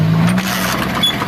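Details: Honda Fan 125 motorcycle at idle, suspected causes rocker arm, loose piston in cylinder, loose centrifugal clutch or connecting rod: busy rapid clattering knock riding over a small single, loudest in the low end, consistent with piston slap.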